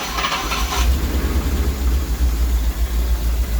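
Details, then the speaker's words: Rolls-Royce Silver Shadow 2 V8, sat neglected over 10 years, after twin SU carburettor rebuild and new fuel pump, coolant topped up one litre: deep steady burble, idling smoothly without touching the accelerator. "Let's start it up again. See how easy. I'm not even touching accelerator, guys. That's how good we're getting it."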